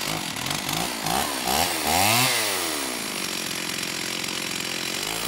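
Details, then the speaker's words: STIHL 028 AV Super chainsaw, rebuilt with non-OEM parts after straight-gas burnout, low-speed jet near the 1¼-turn initial setting: revs climb and sag, unstable hunting idle; acts like a carb issue, crank seals don't seem to leak. "it's almost acting like a carb issue you know it doesn't actually seem like we have any crank seals leaking"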